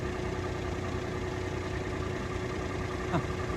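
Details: Peugeot 107 petrol car, unmoved and unstarted for over a year, jump-started: starts first try and settles to a steady, even idle with no knocks or misses; sounds healthy.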